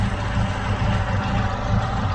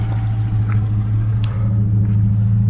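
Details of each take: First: Chevrolet Aveo T250 with added gas equipment, running on petrol: steady low idle with an uneven, stumbling beat; one cylinder dead, injector coil intact but test light shows no control pulses to the injector. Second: Chevrolet Aveo T250 with LPG, engine nearly warm, shaking at idle on petrol. Switched to gas, it idles with a deep, steady, even rumble and no missed beats: normal idle on LPG.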